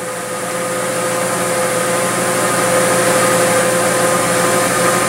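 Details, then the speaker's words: Four-cylinder engine at idle, checked with a homemade pressure impulse sensor in the exhaust on a Picoscope: steady hum with even exhaust pulses, no stumble or skipped beat; engine idling normally. "so as you can see right now it's fairly okay okay fairly even across the board as far as the exhaust pulses go"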